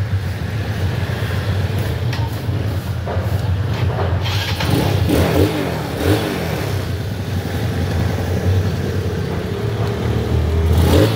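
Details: Yamaha Mio Sporty scooter that died at low rpm, stumbled on throttle and started hard due to weak spark; after CDI replacement (pulser swap didn't help) it starts first try and runs steady with smooth blips, no misfire: normal running.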